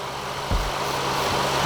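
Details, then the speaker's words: 2006 Acura MDX warm idle holding steady while spray is applied around the intake manifold and gaskets in a vacuum leak test; revs never rise or drop, so there is no vacuum leak. "as you can tell there are no leaks within my intake system but what you would be looking for is that when you spray you would hear a raise or a drop automotive completely stall uh when you spray this next to your vacuum leak"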